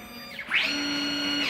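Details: CNC plasma table with ClearPath servo motors on new mounts, trial program run with the plasma off, traveling around 47 holes: clean servo whine climbs as the gantry speeds up, holds steady, then drops; normal motion.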